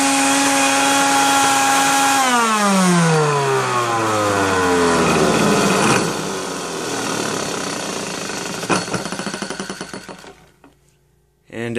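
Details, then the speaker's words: Genie Jet Vac 10-gallon wet/dry shop vac: high motor whine falls on coast-down, revealing a loose rattly ticking inside the motor; cause unknown, vac later taken apart to clean the motor area. "And as you could hear that rattling in the motor, I'm not sure what that is."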